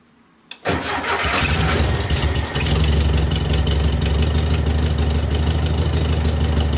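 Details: VW Beetle with new Pertronix distributor and coil, after a quarter-turn carburetor adjustment: quick start then steady, smooth, even low idle with no stumbling; sounding much better, though backfires when revved, owner thinks slightly lean.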